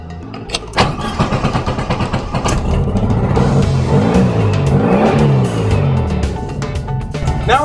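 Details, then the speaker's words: Type-1 VW Beetle engine started right after adjusting all eight valves and refitting the valve cover and distributor cap: it catches after a brief crank and revs cleanly with no knocking or tapping, a normal start-up and rev. "going to give it a little rev listen for any knocking or tapping noises a that sounds sweet"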